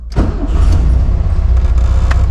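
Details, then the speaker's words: 1972 VW Karmann Ghia, hot restart after test drive without throttle: brief crank, catches at once, steady low rumble without stumbling; normal hot start. "So, what's a hot refire do? No gas."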